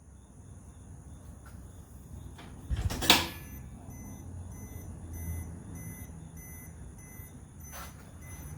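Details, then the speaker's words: EZGO Express S4 golf cart, new combo light-alarm mounted, short high beeps about twice a second after a loud clatter, significantly quieter than on the bench; normal reverse warning. "i don't know why but now that it's mounted up it's significantly quieter than it was on the test bench earlier i think i'm really going to enjoy that"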